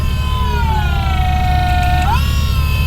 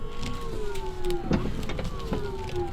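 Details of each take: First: Ford Thunderbird drift car, engine off, power steering just wired up and being bled: steady mid-pitched pump whine that sags slightly then climbs back, from air still in the system. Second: Drift car with newly wired electric power steering pump on a controller: steady electric motor whine sagging slightly in pitch as the wheel turns, no grinding or rattle; normal operation, steering smooth, may need better bleeding.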